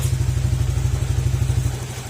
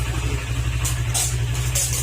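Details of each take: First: Honda Click 125 scooter after engine overhaul and diagnostic reset of check-engine error codes, exhaust pipe partly covered: even, regular idle pulses, no knocking or clatter; sounds very different from before, healthy. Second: Honda Click 125 scooter at idle: low, thumping idle with a dull knock in time with the engine; connecting rod failure from running low on oil, engine to be overhauled.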